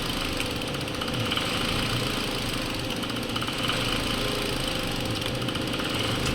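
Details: 2018 Hyundai Accent 1.4 with idle going up and down and stalling: petrol engine idles unevenly with an irregular stumble and slight surging; spark leaking from the side of the coils shows misfiring ignition coils.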